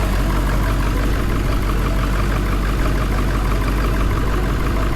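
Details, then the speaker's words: Diesel engine just after fire damage repair (alternator and belt refitted, melted wire casing), started after glow plugs: a smooth, even idle with a steady low rumble and no knocks or squeals; it sounds healthy with the alternator charging. "Oh, look at that, guys. They're running. Hooray! Alternator's alternating."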